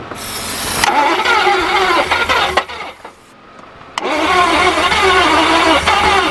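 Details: Barn-find Jaguar/Daimler Mk2 hemi-style 2.5 litre V8, previously seized, running on fuel poured in: fires twice, runs roughly with hard knock under revs; suspected seized gudgeon pin or piston knocking in bores, unconfirmed.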